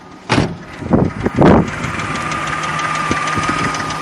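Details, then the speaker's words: Nissan Frontier with VG33E V6 at 183,207 miles, idling: light sharp clicking over the steady run from one or two noisy hydraulic lifters in the valvetrain, not a knock. "so we can still hear that knocking it's not a knocking it's just a clicking from the lifter and what it might be is one or two hydraulic lifter that's making this clacking noise"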